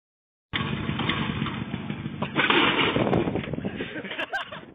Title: Motor tak boleh start